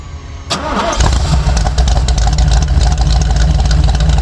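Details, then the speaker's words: Jeep with Comp Cams cam and EFI, meant to be rowdy yet streetable, start-up: starter catches, fires at once and settles into a deep, choppy, lopey idle; healthy engine, normal. "The plan was to have a rowdy sounding cam in it, something that was, you know, sounded really good, had some good power, but also was still streetable."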